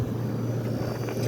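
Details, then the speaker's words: 1973 GM Frigidaire 11,600 BTU window air conditioner, rusted pan, blowing ice cold: steady low hum with faint high whine, even and unbroken; compressor sounds happy, normal running. "but yeah everything sounds good the compressor sounds happy"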